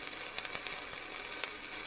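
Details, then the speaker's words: Vevor MIG 130 flux core welder, welding scrap metal, bead loaded a little at the start: steady even frying hiss with only small crackles, not sputtering, popping or galloping, the sound a well-set welder should make. "running the sound of it though sounds really good that's exactly what I want my welder to sound like it's not sputtering popping it's not Galloping you know what I'm trying to say it's a steady even sound"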